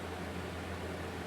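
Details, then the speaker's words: New LG air conditioner on full high fan, compressor delayed about a minute, already cooling, recorded away from the airflow. Smooth steady airy rush with an even low hum, no rattles or squeals: normal running, fan on high. "i've only had it for five minutes and i'm already slightly impressed with it"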